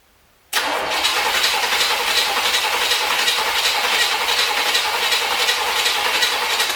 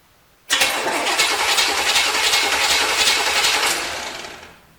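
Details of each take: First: 1973 Corvette, long non-running revival, cranking at about 160 beats a minute with a constant hiss and no firing, with gas in the carb; the owner suspects wrong firing order, zero compression or lost spark, and possibly water. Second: 1973 Chevrolet Corvette C3, non-running eBay car, battery connected to chassis only to jump the starter: even, steady cranking whirr with no grinding or clicking; starter turns engine over normally, ignition not yet connected.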